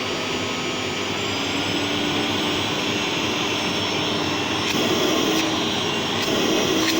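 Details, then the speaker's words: Old Gerer8 Power MAX 2000W vacuum cleaner on high setting, pretty loud: strong steady motor whine with rushing airflow climbing slightly as power rises; healthy motor pulling hard, suction very forceful. "it is pretty loud actually when it's uh when it's on high"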